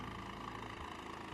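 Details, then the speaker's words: 2007 Honda Civic Hybrid, dual-spark-plug engine, heavily cosmetically damaged budget car: a short stretch of smooth, even idle with a steady low thrum and no misfire stumble. "but we are running listen to that thing it sounds like a Honda it sounds like a [ __ ] Honda"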